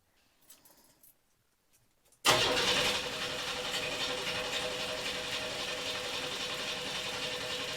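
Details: 1982 S-10 with swapped-in 3.4L V6, fuel pump fuse removed and coil disconnected: starter spins the engine at a steady even pace with no firing, cranking to build oil pressure.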